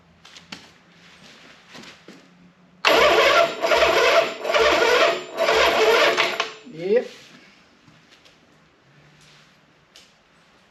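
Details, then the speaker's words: 1976 Harley-Davidson Ironhead V-twin, choked, powered by a small lawnmower battery: the starter grinds over slowly in labored pulses about once a second, fires once, then dies; slow cranking from a weak battery. "well think it may be more drw than this little lawnmower battery I have can do"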